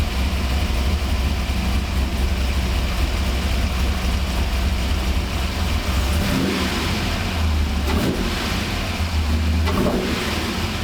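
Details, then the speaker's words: 1985 Monte Carlo SS with cammed 6.0 LS (over 400 hp) and built 200-4R, revived after sitting 5 years, fuel system rebuilt: deep even V8 burble with clean throttle blips, now firing on all eight; normal idle and revving. "Throttle response is quick. No more stumbling. Listen to that cam"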